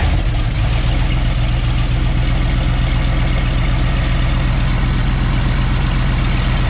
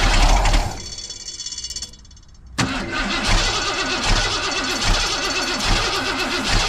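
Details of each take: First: 1990 Ford F250 junkyard build, 351 5.8 V8 with 3-inch exhaust and cat delete, started cold with a slight delay: deep, steady rumble settling into an even idle with no knocks or misses; normal idle. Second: 1990 Ford F250 junkyard build, 351 5.8L, cold morning: starter cranks engine with steady even rhythm but it never fires; no fuel pressure at the Schrader valve, so crank no start.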